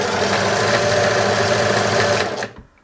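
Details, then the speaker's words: Singer 631G/611G sewing machine (made in Germany), powered up after foot controller repair, light not working: fast, rattly, harsh mechanism clatter while running, then stopping; noisy running, needs a full service with cleaning and oiling, cause not confirmed. "We've got power though. That's good. Oh, she's a bit noisy. I think it's in need of a service."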